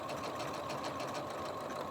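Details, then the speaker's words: Janome 15000 Horizon sewing machine after repair, sewing a decorative stitch: fast, even needle whirr with no clunks or grinding; normal sewing sound. Its problem occurs only in embroidery, where the bobbin thread isn't picked up. "I'm used to the different sounds this machine makes and this is the sound it should make when everything is running perfectly normal"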